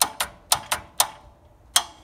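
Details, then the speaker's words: Mitsubishi Electric 24 V forklift revived from a dead battery, corroded plugs cleaned and replaced: sharp relay clicks, one for slow forward and a second as the lever goes fully forward, working normally. "when you press forward you'll hear one click and when i press it press the lever all the way forward you hear a second relay clicking in so there's first forward which is a slow speed"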